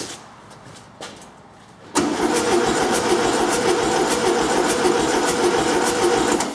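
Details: 1974 VW Beetle being revived, cranked on a good replacement battery: quiet clicks, then brisk even cranking at about four beats a second; normal cranking.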